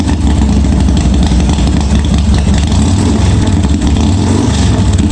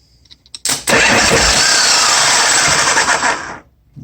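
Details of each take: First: 1986 Harley-Davidson Softail first start after wiring repair, gas added: deep steady low V-twin rumble with an even beat and no knocks or misses; running cleanly, oil pressure not checked. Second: 1986 Harley-Davidson Softail with suspect wiring: a click then a harsh, steady whirring crank for about three seconds with no firing when the starter solenoid is jumped directly; starter engages and solenoid works when jumped.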